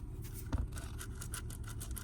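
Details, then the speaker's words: VE Holden Commodore V6 manual, gearbox partly lowered during a clutch job, concentric release (thrust) bearing turned by hand: gritty, uneven scraping clicks. Worn clutch release bearing, needs replacing. "you can hear that thrust bearing is crook all right so it uh definitely need to be replaced"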